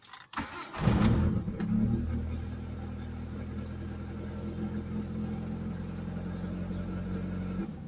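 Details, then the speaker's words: Mitsubishi Lancer Cedia automatic, no check-engine light, dies after starting: engine fires, RPM rises and falls through a shaky idle, then stalls; stalling traced to a dirty throttle body. "Ayan taas baba yung RPM yan patay"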